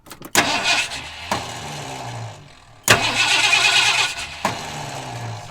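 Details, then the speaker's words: 1978 Ford F150, sitting unstarted for years, with fuel added to the rear of two tanks: short bursts of starter cranking with pauses, and the engine never catches; cranks but no start. "all right let's spin it over and see if we got some stuff coming out gas"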